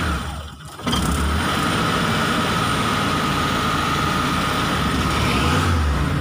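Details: Mitsubishi T120SS fuel-injected, hard starting, sputtering and high fuel use: uneven lumpy idle with an irregular stumbling low beat; rough idle misfire.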